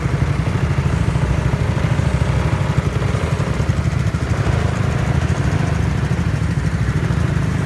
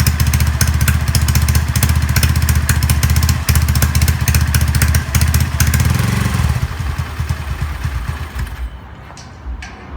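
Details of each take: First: Honda Zoomer-X small single-cylinder scooter after replacing fuel filter and fuel pump motor to fix hard starting and stalling: low, even idle putter, no stumbling or dying; normal idle. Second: Honda Zoomer-X fuel-injected scooter: starts, thumps briefly, then beat slows, turns ragged and dies, worse when throttle is opened; caused by a weak electric fuel pump, pressure to be checked with a gauge.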